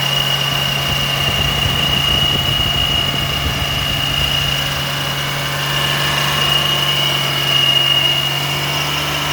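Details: E-Type Jaguar petrol engine running fast, above 2400 rpm: a steady thin high-pitched squeal of the drive belt slipping at the water pump.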